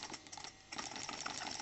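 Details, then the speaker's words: New Stuart D10 twin steam engine run on compressed air with both cylinders fed, at 500 g pressure, running better in this direction; quick, even light ticking with steady exhaust hiss, smooth and regular, normal running. "Vous voyez, elle marche mieux dans ce sens-là, à 500 grammes."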